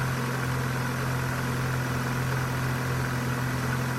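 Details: 2001 Corsa C 1.4 16V from cold start: steady, even idle with a smooth low drone and no ticking yet; ticking only starts after about 5 to 10 minutes of running and gets louder as the engine gets hotter.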